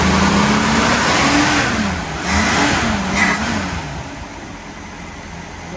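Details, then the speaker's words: 1965 Ford Mustang six-cylinder, first drive after 10+ years parked: engine picks up briefly when throttle opens, then sags and falls on its face; accelerator pump shot coming in too late, causing off-idle hesitation. "The accelerator pump's not coming in soon enough because it falls right on its face. If I need to give it gas, it goes back."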